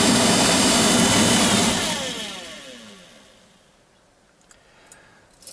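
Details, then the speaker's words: GAZelle heater blower motor after reassembly; loud buzzing whir sinking in pitch as the motor coasts to a stop; noise is heard coming from the commutator where the brushes ride, and the owner plans to clean the commutator, unconfirmed as the cause. "знаете вот шум идет как раз таки вот с этого коллектора по которым щетки ходят жужжит"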